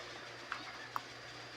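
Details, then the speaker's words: Electric fan that would only hum and not spin, after oiling its stuck bearing: steady even airy whoosh with low motor hum and faint clicks, now spinning strongly and running normally. "Ayan. Lakas pa oh."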